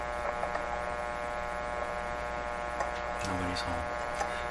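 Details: 1925 Magnavox Type D TRF (tuned radio frequency, no IF stage) radio during a repair attempt: a steady low mains buzz with stacked overtones and no programme sound; something is also microphonic. The set hums but produces no signal.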